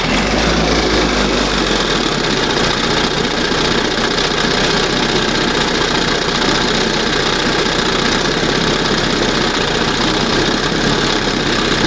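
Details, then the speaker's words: 1971 Johnson 20 hp two-stroke outboard after adjusting the idle mixture and resetting the throttle stop screw, throttle at the first mark: steady, even burble with no misses or surging. Normal idle. "That sounds good. Not bad. Wow. That's the best right there. Sounds much better. And it's down here, you know, it's idling."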